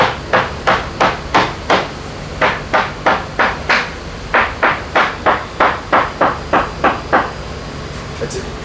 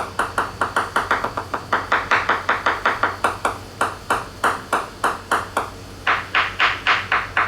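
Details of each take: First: Leopard 45 catamaran hull, tap test with a hammer on a correctly re-glassed section: crisp, even taps about three a second, each ringing the same sharp note with no dull thuds; solid, well-bonded laminate, no dry glass. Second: so you can hear the uh reverberation in that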